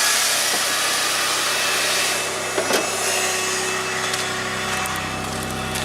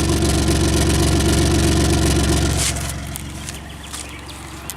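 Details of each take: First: Geo Tracker after two years without a battery, check engine light stuck on with a secondary air injection pump code. At cold start, a steady airy whir over a quiet idle, then it goes quiet: the secondary air pump is working normally. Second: Car at almost 160,000, fitted with a brand new sensor, heard at the tailpipe. A steady low pulse, somewhat uneven, then fading: the engine doesn't run right and runs rough; the garage couldn't find the cause.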